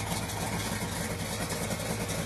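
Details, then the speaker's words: 1979 Trans Am, started with fuel pressure, water and fan turned on, idling with no foot on the throttle at about 850–900 RPM: a steady, even idle with no misses or knocks over hissing water and fan. The idle is healthy. "I don't have any foot on the throttle or anything. It holds it idle pretty easy, right at about 850, 900 RPMs."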